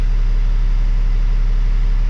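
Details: Kenworth W900 ISX diesel started after a head job, check engine light expected to clear: low, even idle rumble with a steady beat and no knocks or misses; it runs healthy.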